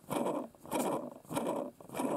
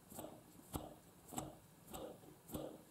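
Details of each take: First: Hand-spun small brushless quadcopter motor (Eachine 2306 1650KV vs Racerstar 2205 2300KV): rough, gritty grinding from bearings damaged, probably by dust, unlike a new motor. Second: Quadcopter brushless motor (Eachine 2306 1650KV or Racerstar BR2205 2300KV) spun by hand: soft, quiet whirrs about every 0.6 seconds, no grit or rasp; bearings in good shape, unlike a dust-damaged motor compared next.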